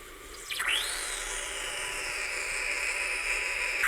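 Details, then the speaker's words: Gaggia Cubika espresso machine being repaired after producing no water or steam, steam function tested: rising hiss leveling into steady high-pitched rush of steam with light sputtering; steam wand producing steam. "You can hear gas coming out of it. You can see some bubbles, maybe. Something's happening."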